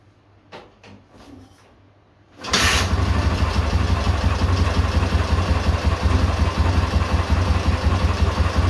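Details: K-750 motorcycle boxer twin after replacing the timing gears (four crankshaft gears), ignition fed direct to the coil: fires after a few cranks, then settles into a steady, even idle with no knock. The earlier knock is gone.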